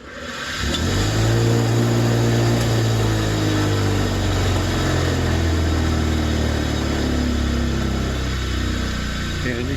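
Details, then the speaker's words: Nearly 50-year-old inexpensive bench grinder from the 1970s running up to speed with loud, rough hum and strong vibration, rattle on stopping; one side's motor bearing has play, worn, to be replaced. "see how badly it vibrates when it's running and uh how noisy it is and you can hear a little bit of a rattle when it stops now this side over here is tight has no movement at all but this side here hear that the bearing inside here has gone bad"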